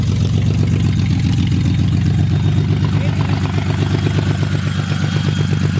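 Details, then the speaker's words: Built VQ35DE V6 in a Z, first start-up, finally idling after earlier backfires, run only briefly because there is no coolant in it: steady low idle with an even rapid pulse and no knocks or ticks; normal idle. "right now we're just finally idle so get to like fully wound up"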